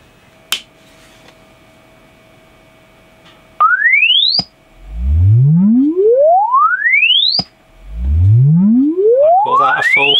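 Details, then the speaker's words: Alto TS310 2000 W active speaker after repairing its bass fault, loosely reassembled: test sweep rises cleanly from deep bass to high treble with solid bass and no dropout; fault was the amp, not the driver. "sweep look at that happy as it was the amp and not the actual driver itself so that's that's a cheaper fix"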